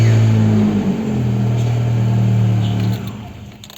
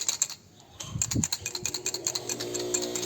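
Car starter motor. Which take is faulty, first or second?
second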